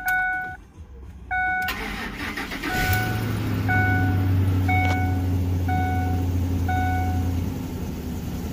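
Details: 2006 Ford F-150 5.4 Triton V8 that ticked for over a year until a spark plug tip broke off into the cylinder, unretrieved: door chime, then cranking and a low, uneven, shaking idle, a misfire.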